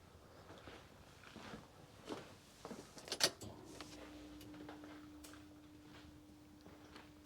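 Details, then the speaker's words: 2013 VW Caddy 1.6 diesel, about 97,000 miles, ignition on after fuel filter change: a few clicks then a faint steady hum of the in-tank electric pump running 2-3 seconds, priming and pressurising normally. "You can hear a pump run only for about 2 or 3 seconds in the tank, so I guess that's just pressurising it."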